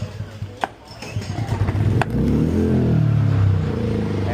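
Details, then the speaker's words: Fairly new Echo suitcase-style generator that would not start, starter fluid sprayed into the intake elbow, switch on run with no choke: a few pulls, catches and runs rough about two seconds, then dies; fuel starvation from a clogged carburetor. "The machine started and died instantly, which tells us that we're not getting any fuel, so our carburetor is clogged up."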